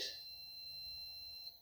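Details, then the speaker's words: Fluke meter on diode/continuity setting during a water heater repair: one clean, steady high-pitched beep of about 1.5 seconds as the leads touch, showing the meter works. "And when you have a diode test, when you touch your T terminal leads, you'll see you hear the beeping noise."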